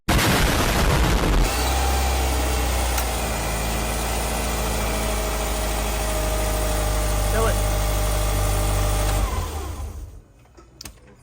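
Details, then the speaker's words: Subaru Forester EJ engine after timing belt tensioner replacement, timing cover off; starts and settles into smooth, even idle with steady low hum, no knocking or ticking, much better than before; normal idle. "sounds much better than the last video you guys seen with the damage"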